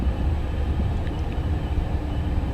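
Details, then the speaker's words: Condensing natural gas furnace in below-freezing weather, after a frozen blocked condensate line stopped heating: steady low whooshing rumble, no knocks or squeal, blower picking up speed, control light indicating 1900; normal blower operation. "I hear the blower actually picking up some speed now."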